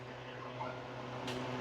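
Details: 2011 Ford F150 passenger power seat height motor moving the seat front: steady low electric hum, no grinding or clicking; motor works normally, seat won't raise due to defective switch, fixed by new switch.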